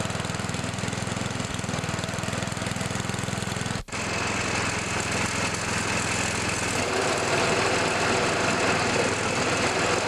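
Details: Old MTD snowblower after replacing belts, including auger belt MTD 754-0282, test run outside before fitting belt covers: even, steady single-cylinder chug with a brief dropout, then a smooth run; healthy engine, belts turning the auger.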